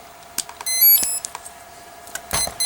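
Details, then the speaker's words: Durafly Komet RC foam plane, 4S battery plugged in: rising musical tones then four chirps from the speed controller, controls work but the motor won't respond to throttle; throttle cutoff switch present, cause unknown. "I'm getting 4 beeps. Oh, you can hear it. But no response from throttle."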